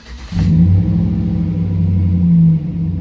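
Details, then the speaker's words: 2008 Chevrolet Silverado V8, almost 120,000 miles, restarted after the 3-minute idle relearn following throttle position sensor replacement: it catches and settles into a steady, deep, even idle and sounds normal with throttle, with no check-engine light. Normal idle. "that sounds normal to me have no check engine lights on no lights on that don't along everything sounds normal we hit the gas it sounds normal"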